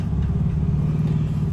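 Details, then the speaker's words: 1985 Nissan 300ZX revived after sitting two to three years, new fuel pump: deep rumbling idle with a steady rapid knock that changes with the clutch pedal; owner suspects the throwout bearing rather than a rod or lifter. "i'm gonna push the clutch in when it stops sounding like a rod or a lifter but that's not so i needed i need to drive it see if i can get some of that out of it but [Music] sounds terrible but knocking does"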